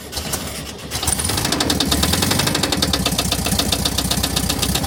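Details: 1971 VW bus, 1600 single-port engine that sat for decades and was recently revived: quick, uneven ticking over a steady engine speed; owner suspects the fan, which spins as if bent, likely too tight; possibly better after removal.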